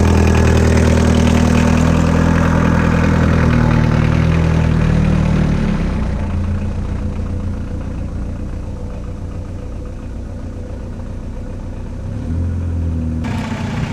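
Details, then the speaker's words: 1979 car with a 1.5-liter diesel: steady clatter at about four knocks a second, settling from a fast start-up into an even, normal idle. "So, it has a 1.5 liter engine, and as you can hear, it's a diesel."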